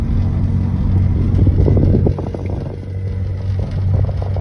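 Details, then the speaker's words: 2008 Chevrolet Silverado 4WD V6 automatic pickup while driving: deep rhythmic pulsing rumble like galloping horses from about 20 mph, louder with speed, still present coasting in neutral; harmonic vibration, transfer case fluid drained, cause unconfirmed. "I don't know if you can hear that or not, but it just sounds like you're on a bunch of horses. And the faster you go, the louder it gets."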